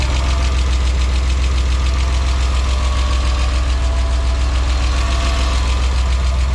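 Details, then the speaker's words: BMW E34 Touring, M50B20TU engine run after sitting dry about two years and oil pan replacement; idle otherwise fine, with faint regular light knock three or four a second over low hum; cause undetermined, may go away. "I thought that it would be like some rough start or anything something like that but seems to be working like fine there is a little bit knocking sound maybe it will go away maybe it won't"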